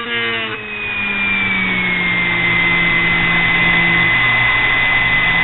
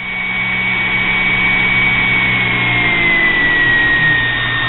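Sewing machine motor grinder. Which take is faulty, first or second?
first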